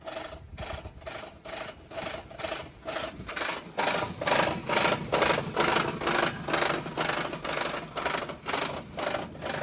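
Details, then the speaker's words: Car engine at idle after transmission work, owner theorizes reversed flex-plate; sharp even clicks about twice a second over quiet idle, revs dipping, quiet with gas, exhaust suspected: clicking noise at idle, cause unconfirmed. "on listening to the engine itself, the engine sounds smooth. >> Yeah. >> But there's this click click click click."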